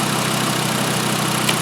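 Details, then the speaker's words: 2012 VW Jetta 2.5L five-cylinder at idle after all five worn, wide-gapped spark plugs were replaced. A smooth, even, low hum with no skips means the misfire is cured and the engine runs normally. "Alright, let's fire it up and see what it looks like. Oh, there we go, much better."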